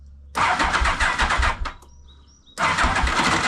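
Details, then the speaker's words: 1991 Yamaha Venture Royale, cold start with choke after sitting a couple of weeks: two cranking bursts with a gritty crunch and uneven clunks as the starter spins without catching; a slipping starter clutch, to be replaced. "Yeah, you hear that? Slipping a little bit, eh? Oh god, I got nothing."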